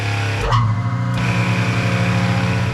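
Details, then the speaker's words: Lagoon 450 catamaran watermaker, jury-rigged Jabsco boost pump feeding high-pressure pump; second pump whirs up, both settle into steady even hum; boost pressure high, pulsing but never zero; working. "Okay, so we're seeing heaps of boost pressure. It's pulsing a little bit, but it's never going down to zero."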